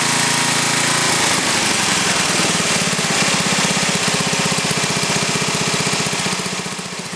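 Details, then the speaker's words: Briggs & Stratton 11 hp flathead single (model 25), first run after a year idle, cold start at about 60°F after a night in the 30s: loud steady putter settling quickly into an even rhythm; runs well, burns a little. "that's a pretty good run engine there uh like I said it's the first time I ran it for a while and uh it burns a little"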